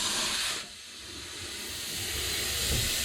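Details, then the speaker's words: Gravity-fed sandblast gun, used while blasting a Jaguar MKII heater box, clogged so its trigger would not shut off: steady loud air hiss that dips briefly then keeps blowing. Air leak from a sticking trigger. "So one of the joys of doing this with this little beastie here is that it does clog occasionally. You can hear the hissing going on. That's because the trigger hasn't shut off."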